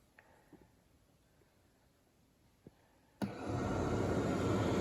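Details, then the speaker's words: 1987 Pontiac Fiero with the rear cooling fan tripped on manually before a fan switch is installed: the fan switches on to a steady, even rushing whoosh with no rattle or scrape, blowing air toward the engine and alternator. Normal fan operation. "can hear it running. And the air actually comes out this tube here, right onto the engine."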